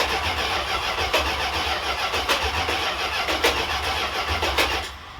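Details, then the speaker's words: 1978 Chrysler Newport auction car, long sitting, low gas in tank: engine cranks at an even pace with no firing; mechanical fuel pump not pulling any fuel. Crank no start from failed mechanical fuel pump, replaced afterward. "Yeah, I don't think it's pumping. It's just, No, I still don't see anything. yeah, I don't look like it's pulling anything out."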